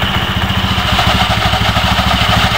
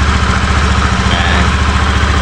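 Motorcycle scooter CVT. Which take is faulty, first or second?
first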